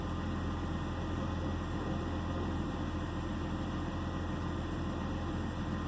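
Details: 2009 BMW 328i xDrive coupe at idle: low steady rumble with faint unevenness underneath; misfire pulling the idle rough, cause not pinned down, suspected only.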